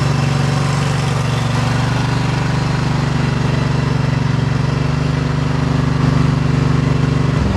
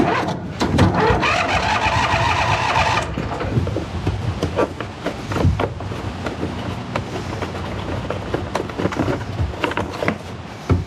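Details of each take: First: 2008 John Deere EZtrak Z425 zero-turn mower, 23 hp Briggs twin, revived with new battery and fuel filter and old gas drained: steady even drone at fast idle, no misses or knocks, then shuts off cleanly; runs healthy. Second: 2008 John Deere Z425 zero-turn mower after draining old fuel, with a new fuel filter and battery. Long cranking with uneven chugging that never catches. There is no fuel reaching the engine until the fuel system is bled.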